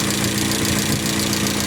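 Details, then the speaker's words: Van towed in as a non-starter, idling with a light, quick ticking over the engine note; noisy tappets from excessive valve clearance, tappets that push the pushrods to open the valves need readjusting. "So, kenapa kita perlu laras balik type pad ni? Type pad ni fungsi dia adalah untuk push valve ni dia panggil push rod ni. Dia akan tekan valve."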